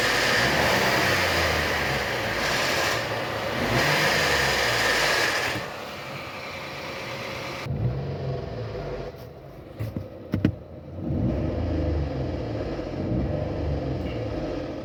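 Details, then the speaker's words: 2022 Renault Logan three-cylinder, 111,000 km, idling: quick, uneven metallic knocking about two or three a second, not the engine itself; cam phaser pulley knock, solenoid found full of oil sludge and not actuating, replaced. "bom vocês viram aí né o baita de um barulho né bom vamos lá sem rodeio sem ficar é rodeando o vídeo é isso daqui galera Ó a solenoides tá"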